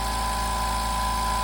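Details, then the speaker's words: New California Air Tools 4710SQ dual-piston, oil-free compressor with 4.7-gallon tank: steady even hum with a low pulsing beat, no knocks or rattles, very low vibration; pump runs smoothly and quietly. "See how quiet that is? I mean, you can barely hear that running. Here, I'll stop talking a little bit so you can hear. It's really, really quiet. It has very, very low vibrations."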